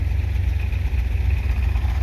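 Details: 1978 Chevy C10 V8 warming at idle: a deep, steady, even rumble with no misses or knocks, but blue smoke smelling of burning oil points to bigger engine problems.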